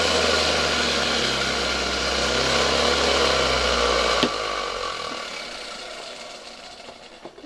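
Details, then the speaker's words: 1970 Zelmer 01 vacuum cleaner with East German Suhl type 1004.2/5 motor, run bare from a voltage regulator: rough, gritty whirr over the hum, then coast-down; motor works but bearings are badly worn and rubbing. "Wydaje się, że silnik działa. Aczkolwiek te łożyska są już bardzo, bardzo zużyte."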